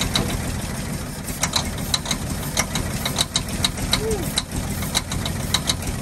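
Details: 1948 Ford F-5 ex-ice truck, first run after about 45 years sitting: sharp uneven pops and ticks over a rough low idle. Owner believes the number six lifter catches on its spring, not a bottom-end knock.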